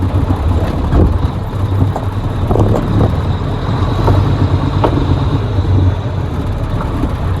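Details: 1983 Mack R600 300 HP diesel after replacing the throttle spring to cure surging at low speed when empty: deep steady rumble with no surging or hunting; fix appears to work.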